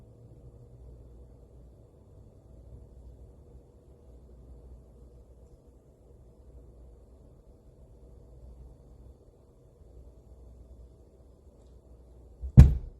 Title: BASH Amp banging sound